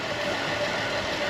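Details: 2010 Buick Enclave CXL V6 with a smooth, steady idle and even hum, no stumble or hiss, after the leaking vacuum hose was replaced with a thicker hose with a heat-protective cover, curing the misfire.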